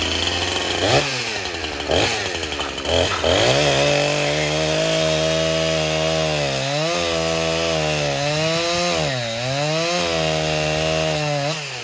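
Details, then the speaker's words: Husqvarna 346 XP chainsaw after cleaning up a scored cylinder and fitting a new piston and ring, cutting wood: strong clean two-stroke howl rising and dipping smoothly, no misfire or stumble; healthy after repair. "this thing is awesome let me start it up show you cutting here"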